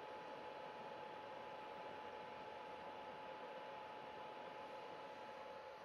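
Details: PS4 console fan running loud: steady airy rush with a thin, constant whine that never changes; cause unknown.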